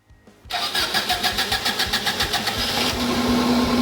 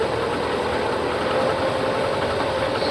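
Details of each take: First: 1998 Subaru Legacy that was water-damaged in a marsh, had a P0505 idle air control code and flooded; after swapping in a good used ECU it cranks, fires cleanly and settles into a smooth, steady idle. Normal start and idle. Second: 1998 Subaru Legacy pulled from a marsh after hydrolock, with a P0505 idle air control code: uneven, lumpy, ragged idle and smoke from the exhaust. It is running very rich, possibly with a misfire, traced to a water-damaged ECU.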